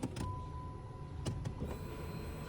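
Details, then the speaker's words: 2011 Dodge Challenger that cranks but won't start (owner suspects water in the trunk). At key-on a faint, steady high hum runs for a few seconds as the fuel pump primes: normal fuel pump prime. "there you go I can hear the fuel pump this sucker is going to turn on"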